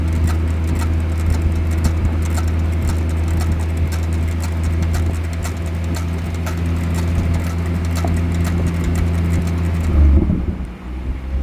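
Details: BMW 440 rolling after brake pad replacement: low road drone with a loose ticking or clip-clop, roughly four clicks a second, cause not confirmed; clicking noise from the brakes.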